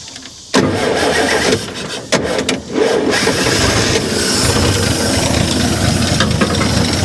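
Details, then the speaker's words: 1955 GMC 350 grain truck runs after sitting: cranks briefly, catches hard and runs loud and ragged, surging, as fuel comes too fast to throttle. "there she goes there she goes damn it it just comes out too fast it comes out too fast i can't uh i can't throttle the uh the flow of fuel quick enough"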